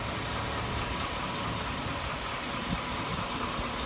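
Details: 2002 Chevy Avalanche 5.3L V8, warmed up at idle: sharp, loud ticking knock over the exhaust note, heard on the right side, worsening over the past year and diesel-like; cause unknown.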